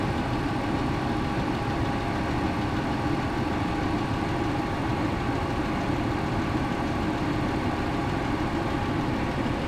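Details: 2003 VW Passat 2.8 wagon after replacing wrongly fitted 90 amp alternator, idling with AC on high and headlights on, holding about 13 V (previously dropped to 11.8 V): smooth even idle, no knocks, squeals or misses; normal.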